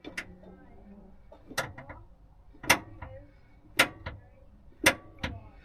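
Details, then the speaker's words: Mercedes 410D Hymer S660 motorhome after rear drum shoe and handbrake cable adjustment: crisp separate clicks about once a second as the lever comes up; handbrake ratchet engaging normally. "what about the first one listen to it I can't hear that big click"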